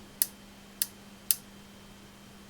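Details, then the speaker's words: Marshall JTM100 Super PA amp with voltage being raised from about half input: sharp ticks about every half second over a low hum, increasing as voltage rises; suspected arcing inside an electrolytic capacitor. "ticking is increasing which makes me think it is some kind of arcing i wonder it's one of these electrolytics arcing inside"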